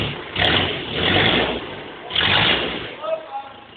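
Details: BMW E46 320d 150 hp diesel, first start after overhaul fixing swirl flap failure: smooth idle with a few quick throttle blips, revs rise and fall cleanly, no knock or misfire.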